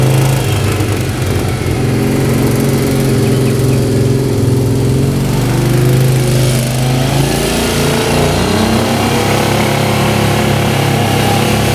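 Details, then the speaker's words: 1998 Yamaha Grizzly 600 4x4 ATV on a full-throttle test ride; seller had replaced the stator. Engine drones flat, then sags instead of climbing, backfires and stalls, topping out around 10–12 mph. Bogging, won't rev out; cause not confirmed. "Backfiring. That doesn't sound good. And just stalled out. Yeah, it is not running right at all."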